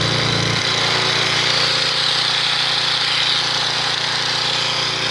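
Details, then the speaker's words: 1997 3000-watt portable generator after new carburetor install, run after priming: small engine at steady, even speed with no surging, output about 118–120 V without sagging; normal, healthy running, expected to use less gas. "all right so we're doing good on that we can hear the sound for the new carburetor she's definitely going to use less gas"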